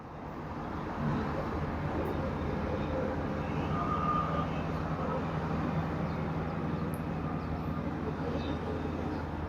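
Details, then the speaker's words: Super General 20 kg top-loading washer on spin cycle, drain pump and clutch working but drum not turning; low steady hum with no spin-up, motor stalled due to failed motor triac on main control board, fixed by replacing it. "It is humming noise only, but motor not rotating."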